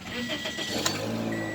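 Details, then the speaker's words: 2006 Toyota Corolla 1.8L with crank-no-start, water pump replaced; new programmed spare key turns security light off; quick crank catches at once into steady even idle with no misses; normal start. "Going forward, light is still off. Turning car on,"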